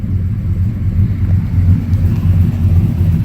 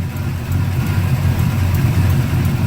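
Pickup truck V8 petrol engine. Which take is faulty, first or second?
second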